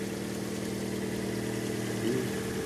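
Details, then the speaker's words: Fiat Albea petrol engine idling cold right after start: quick, even ticking for seconds up to until warm-up; caused by loose exhaust manifold, two outer studs loosened, fixed by tightening. "Всем привет появилась такая проблема заведешь машину идет какой-то стук какое-то время у минуты может быть не всегда правда бывает несколько секунд Что это такое Я не пойму Такое ощущение что как будто масло сливается"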